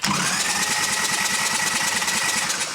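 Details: Freshened Evo Sportster 1200 chopper motor cranked before first start to check oil pressure, with oil starting to drip through: fast, even starter whirring with a steady rhythm, no knocks and no firing. Normal cranking.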